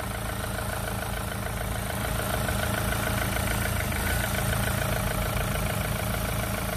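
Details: Renault Clio 3 1.5 dCi 85 hp diesel with 300,000 km, after replacing the alternator that was causing a noise. It idles evenly with a smooth low throb and no whine or rattle from the accessory drive; the noise is gone, normal idle.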